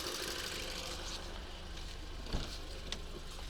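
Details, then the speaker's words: 2008 Škoda Octavia 2.0 FSI at idle after new spark plugs, a new fuel pressure regulator with adaptation, and a coil swap curing cylinder 2-3 misfires: quiet, smooth, even idle with no stumble or ticking; engine running fine. "yes everything seems to be working fine the owner had a reel in the trunk replaced the coil and that's it everything seems to be good works"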